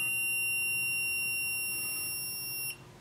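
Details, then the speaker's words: Low-voltage alarm module (35716, 6-15V range, set point 11 V) sounding as supply is dropped below 11 V: steady high-pitched buzzer beeping, continues until voltage rises back above 11 V. "you can definitely hear that the buzzer kind of and once again it'll keep Doki signalling and the alarm going till we're back above 11 volts"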